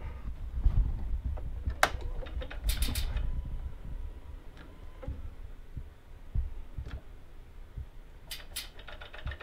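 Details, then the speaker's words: 2019 Harley Tri Glide that would not start after sitting without a tender: uneven, light clicking under a low hum and a flickering dash; starter solenoid chattering on a dead battery at about 7.7–8.5 volts. "this flickering and you can hear that you can hear that stuff clicking down there you see the dash flickering right there"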